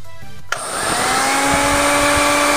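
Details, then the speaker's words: Miyako 200 W blender on a Taffware NBQ1000W pure-sine inverter, battery steady at 12.4 V: sharp start, then a clean, steady hum and whir with no rattle or labouring; runs very smoothly. "Mantap ya teman-teman ya, bunyinya sangat halus sekali."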